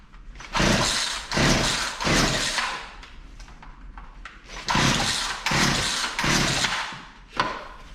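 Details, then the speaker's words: Poulan Pro P3416 34cc 16-inch chainsaw, found abandoned, new spark plug and carb cleaner sprayed in, choked: repeated rasping rope pulls about one a second with no firing; cranking, no start, spark later confirmed present. "nothing i guess we need to see if we're getting spark"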